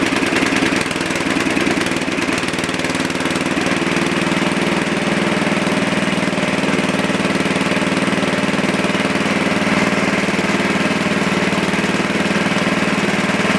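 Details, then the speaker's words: Super 12 hydro small engine, just started cold. About three lumpy beats a second with wavering, hunting note, won't settle: rough cold idle. "there we go yeah she definitely don't like the idol at all but it was kind of my fault"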